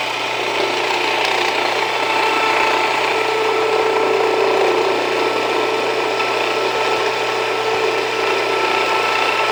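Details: Jiffy Precision Mill, a simple US-made electric steel burr grain grinder, grinding grain fed slower with the setting backed off slightly; steady even grinding rasp with a light fast ratchety chatter, no labouring or slowing. Normal grinding, and the mill is only warm afterward.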